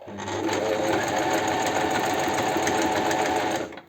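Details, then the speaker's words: Astralux M10 sewing machine after repair (its motor hummed but the mechanism would not move or sew): steady fast needle-mechanism chatter running evenly for over three seconds, then winding down smoothly; it now sews normally. "все машина работает сейчас она у меня постоит я еще погоняю пару раз лучше три раза"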